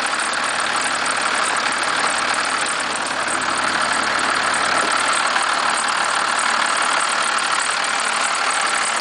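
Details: 1991.5 First Gen Cummins 12-valve diesel, cold start at about -10, idle: fast, fairly steady rattling tick about three per second over the clatter; source still unknown to owner.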